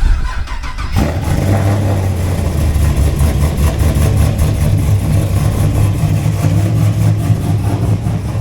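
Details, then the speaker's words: 5th-gen Camaro hot start after adding a ground wire at the starter bolt: about a second of sluggish cranking, then a steady lumpy idle; no faster than before, owner expects to replace the starter. Slow cranking when hot. "okay so it still cranked a little bit slow I wouldn't say it cranked any faster or slower than what it was doing before"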